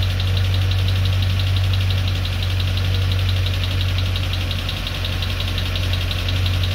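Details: Freshly rebuilt Land Rover Discovery 2 Rover 4.0L V8, first start: light quick tapping over a smooth idle from the right-hand driver's side, no misfire; top-end tap, owner suspects hydraulic tappets.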